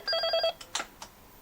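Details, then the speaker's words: Intercom handset: electronic ring bursts keep sounding after lifting, no response or audio, then brief clicks; hook switch not registering pickup, not a worn-out handset. "Receiver बज रहा है। मैंने रिसीवर उठाया। कोई प्रतिक्रिया नहीं। कुछ सुनाई नहीं दिया।"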